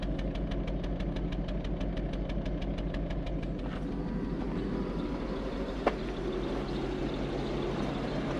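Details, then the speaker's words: Toyota Soarer, heard at the tailpipe at idle with vapour from exhaust: uneven chop-chop puffing about three beats a second, lumpy and irregular; misfire. "listen to that exhaust we can actually see some vapours coming out and it's chop chop chop chop chop chop same on this"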